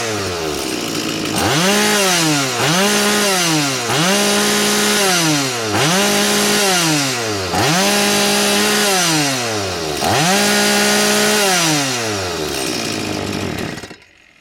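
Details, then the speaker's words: STIHL 180 chainsaw with replaced piston, hot engine, after fixes to cure a stumble on acceleration: five quick throttle blips, revs climb sharply and hold a steady high scream at full throttle with no stumble or bog. "запускаємо зараз села працює де Та вона є гаряча повага зверніть увагу повний газ"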